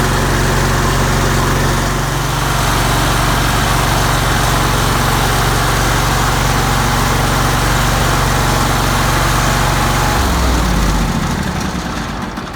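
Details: John Deere L120 riding mower started after replacing leaking fuel line and refitting air filter cover: deep, even throb holding steady speed about ten seconds then winding down smoothly; runs normally, fuel leak fixed.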